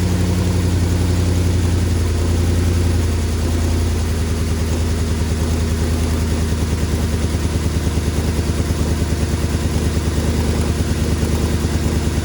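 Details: 2005 Ford F-150 4.6L V8 idling with a rough, uneven lope, about two stumbles a second under deep exhaust drone; bad misfire at idle after spark plug work, coil packs suspected but not confirmed.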